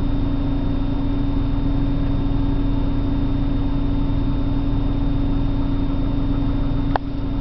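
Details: 1997 BMW 328i, cold start in the morning: idle hums steadily but wavers and pulses about three times a second instead of running smooth; rough idle.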